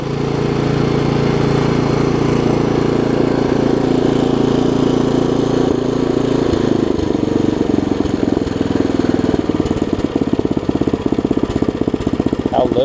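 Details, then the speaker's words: Craftsman 17-inch rear-tine tiller, 5hp horizontal Briggs, probably 90s, stored years with empty tank: after cleaning, new carb diaphragm and carb screw adjustment, steady even putter with no hunting; runs well, only a super small fuel leak. "I just adjusted the screw out there a little bit listen to that thing run now things are amazing a super small fuel leak and that's it"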